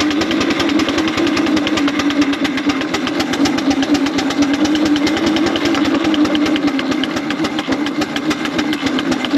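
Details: 4-inch Foster steam traction engine after new boiler tubes, working in big wheel at about 55–60 psi; rapid, even chuffing with a low drone underneath, exhaust beat improved and healthy under load.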